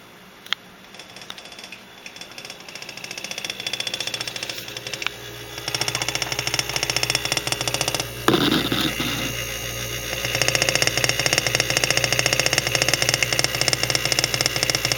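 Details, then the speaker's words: Household refrigerator running with a fast, uneven clacking rattle over a steady low hum, happening all the time; owner suspects the compressor, cause not confirmed. "it's like the compressor I don't know what makes a compressor make a sound like that but it's pretty low happening all the time now is my fridge dying"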